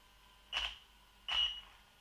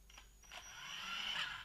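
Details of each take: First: Low-throttle test of a sensorless brushless system in a Bullline Pro MT: three short, irregular high-pitched chirps as the motor hesitates and stutters (cogging) instead of pulling away smoothly, unlike a brushed or sensored motor. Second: Brushed-motor RC car (Losi XXS) creeping off smoothly at the tiniest throttle input. The brushed speed controller gives a thin high-pitched squeal as it tries to get power through. This is normal brushed behaviour.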